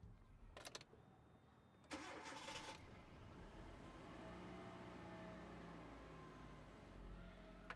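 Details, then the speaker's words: 2009 Hyundai Accent with intermittent long-crank no-start, after new cam sensors and swapped coils: two short cranking bursts, then catches and settles into slightly uneven idle; a little rough start, starter perhaps not held long enough. "Starts up a little rough. I may not have held down the starter as long as I should have, but I think that was actually pretty good actually."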